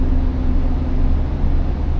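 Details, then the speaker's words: Class B diesel school bus at its air brake check, held at about 1,000–1,100 RPM to build air pressure toward governor cut-out: steady deep drone, smooth and even with no knocks or misses; normal raised idle. "I'm going to give it a little bit of gas to help build the pressure up a little bit faster."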